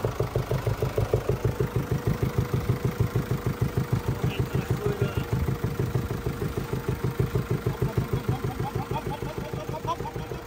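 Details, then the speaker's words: 2017 (H29) Mercedes E220d diesel, 390,000 km, which no longer upshifts without the paddles: even pops at about three per second over a steady idle, like a putt-putt boat. The cause is not yet found. "エンジンがですねポンポン線のような音になるのでなぜか個人タシの中ではもうポンポン線という名前になってしまったんですけど"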